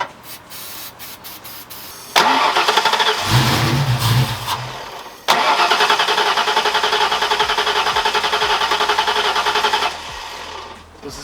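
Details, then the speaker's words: Foxbody crank no-start: it cranks with an even chug about 3.5 beats a second, catches briefly, then dies. The owner suspects no fuel or injectors not opening; ignition was suspected earlier. Crank no-start. "a feeling issue it's not opening the injectors or something else is happening because obviously i fired it up when i put sony flute on it and it just stopped the second i burned it so i'm not getting fuel"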